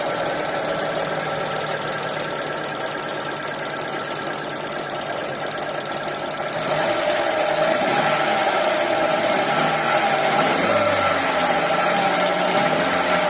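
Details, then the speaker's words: 2012 Hyundai Accent petrol/CNG: fast, steady metallic clatter about three ticks a second over the idle, very bad top-end noise; sticking hydraulic lash adjusters, bearings of a motor also reported bad. "Sound है बहुत ही ज्यादा गंदा जहां भी काम हुआ है खैर यह पता नहीं मगर साउंड ज्यादा खराब है"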